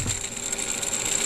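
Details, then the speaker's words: AC tensioner pulley removed from a 2003 Chevy Tahoe 5.3L V8, spun by hand: dry, gritty rattling whir with uneven ticks instead of a smooth spin, and visible wobble; worn pulley bearing, being replaced during water pump gasket repair. "you probably can't might be able to hear it but it's doesn't sound very good"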